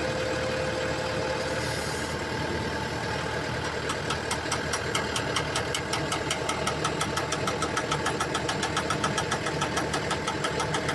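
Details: Komatsu excavator diesel: steady run with fast regular clicking knock from about four seconds in during swing; abnormal noise suspected from the swing swivel joint, not confirmed.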